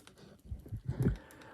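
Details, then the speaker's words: Xbox One controller D-pad off the board during disassembly; a few soft dull clicks in a quiet room as the D-pad posts press the buttons on the board, normal D-pad click. "and if you can hear that clicking, what is probably happening there is that there's buttons inside the board,"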